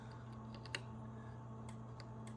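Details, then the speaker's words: Central Electronics 100V transmitter with a replacement NOS transformer and rewired HV secondary. Faint irregular clicking over a steady transformer hum: the transmit relay chatters weakly and won't key on the manual function, though it keys with the mic PTT. "you can hear the relay clicking slightly so I got to figure that out"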